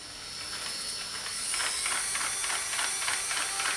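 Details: Hornby turntable, replacement unit, with L1 tank engine centred on it: light, quick ticking whirr about three clicks a second with steady hiss, running on without stalling; gear drive turning freely, though it still slows near the back end.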